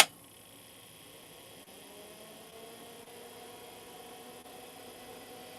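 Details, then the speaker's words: Old IDE hard drive on a 386/486-era retro test bench powering up: faint whine climbing steadily in pitch, then loud spinning, with no click of death; normal spin-up, though the BIOS then fails to detect it. "Canada it did spin up Bluetooth drive. It It is spinning. Okay. And yeah, 24 is what I've got. Okay. That did spin up. Oh, it's loud, too."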